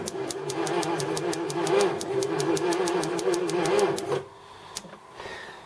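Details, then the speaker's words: 1981 Jaguar XJS, not run in about six years, spark just restored, cranking: labored even pulses about five a second, never catching; slow cranking, owner suspects battery run down from long sitting. "she doesn't crank too happily it's been sitting a long time and I think I've killed the battery a bit"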